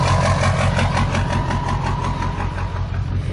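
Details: Abused 2001 Ford E350 PowerStroke diesel, run without air filter, water instead of antifreeze, overheated, block frozen and cracked; just started on starting spray: deep, lumpy, uneven idle with a shaky beat and visible blow-by; internal damage suspected.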